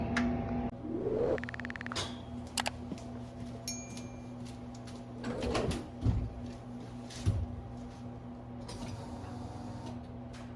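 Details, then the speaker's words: 1970 Ford Maverick with EFI-swapped stock 5.0L V8 and new Flow Monster mufflers, no headers: starts and settles into a deep, lumpy idle with no belt squeal, after the belt was tightened with a nut underneath. "right now with the nut up under it it's already tight enough so it's not squeaking anymore"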